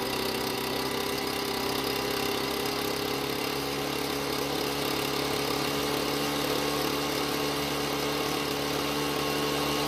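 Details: Ryobi backpack blower two-stroke, fresh premix, warmed up: steady high buzz never reaching crisp full-speed pitch, slightly ragged; lean carburetor mixture.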